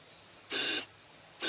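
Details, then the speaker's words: V8 engine with low compression on cylinder 8, leakdown test. Bursts of hissing air at the crankcase breather, nothing at the intake or exhaust. The leak is definitely coming from the piston, i.e. ring blow-by. "So next up, this is definitely coming from the"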